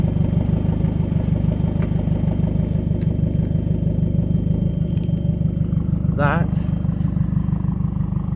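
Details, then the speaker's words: Ford Fiesta Zetec S 1.6 TDCi diesel with new stainless Milltek turbo-back exhaust, de-cat, no centre boxes, large back box: steady even idle with smooth low exhaust rumble about three pulses a second, no knocks; normal idle. "it that just sounds like a normal car exhaust rumble or just a normal fiesta sound like it did before"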